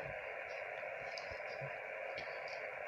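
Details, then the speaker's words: Ham radio receiver hearing QRM from a switch-mode adapter before fitting clip-on ferrite: steady hissing buzz filling the audio with no signal; switch-mode power supply interference. "so let's have a listen to the noise before i proceed this is the noise that i'm experiencing"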